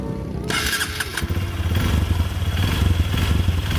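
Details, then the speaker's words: 2022 Honda CRF150L SOHC single, 1598 km, electric start: quick start, then a firm, even single-cylinder thump at idle with no ticking or rattle. Normal standard engine sound with fairly firm compression. "Nah, seperti ini bunyi standar dari mesin CR-F 150L. Oke, seperti yang udah ada di video sebelumnya, kompresinya cukup padat walaupun dia pakai tipe mesin SOHC."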